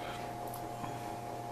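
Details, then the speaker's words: Blower motor on a DIY hot box with PTC ceramic heating elements, at 150 degrees: steady high-pitched hum over a rough low drone; motor sounds strained despite little runtime, had earlier exceeded 230°, not expected to survive. "the motor you can hear that motors making noise and it doesn't have much runtime on it"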